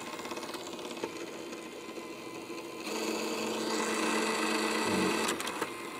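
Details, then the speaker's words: PS5 Blu-ray disc drive, still faulty after two laser replacements, takes the disc and makes quick repeated ticking, whirring and seeking noises but never spins up or reads it; the fault is the drive's motor controller IC. "Takes the disc. Makes the usual noises. But never actually spins up the disc and reads it."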